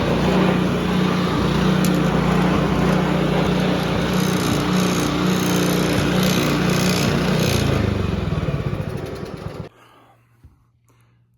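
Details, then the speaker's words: Free Honda HRB215 push mower, stored for years and not running, after carburettor cleaning and reassembly: smooth, even running at steady speed with no misses, then clean shutdown; runs great. "just kidding as you can hear it's running great"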